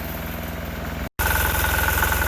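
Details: Sears Suburban 6 hp diesel tractor just started in freezing winter weather, smoking: low, even chug at a steady beat with no misses or knocks, idling smoothly while warming up.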